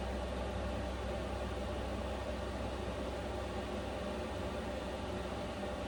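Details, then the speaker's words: Vevor Chinese diesel heater running at a high fan setting in an uninsulated camper in sub-zero cold: steady even rush of air, fan slightly noisier, no ticking or surging, normal. "Okay, so the fan is definitely a little bit noisier. Not bad though. I can't hear the clicking honestly at all."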